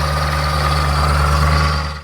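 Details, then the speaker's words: BMW E70 X5 4.8 V8 with a loud engine noise, said to sound like a diesel, and no warning lights. It idles with a heavy, rough drone and a steady high whine on top; owner suspects the water pump, not confirmed. "the x5 has a really big problem doesn't sound very good when it's running let me show you okay let me pop the hood hmm ouch that doesn't sound very good i think that's my water pump"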